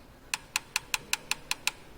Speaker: if there is large valve clearance you can hear a clicking or tapping noise of this kind